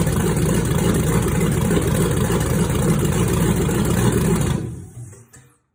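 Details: 1962 Chevy C10 with 5.3 LS swap and 4L60E transmission, first start of an engine built and stored on a stand almost three years, cams redone: steady lumpy idle with an even beat around 220 a minute, no knocks or ticks, then clean shutdown; healthy.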